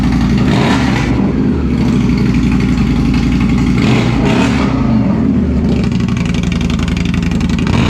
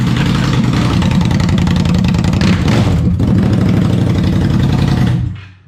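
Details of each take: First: Indian Scout (about 1200cc V-twin, not the Scout 60) after installing a Two Brothers Racing Comp S 2-into-1 exhaust: deep, even idle with a steady low thump and no misses or rattles; healthy, sounds better than stock. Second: Indian Scout V-twin with the stock mufflers removed, straight pipes: deep, loud, choppy burble with hard, uneven pulses about four a second, then shut off; far louder than stock.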